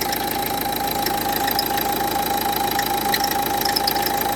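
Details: Renault Duster 1.5 dCi diesel at idle with a steady thin whine and quick light ticking about three per second from a worn alternator pulley.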